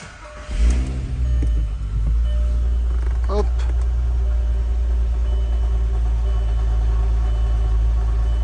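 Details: Golf 4 GTI VR6 2.8 after fuel pump and pressure regulator replacement, started with clutch pressed to check for leaks: short crank catches at once, then deep steady idle with no stumbles; runs fine.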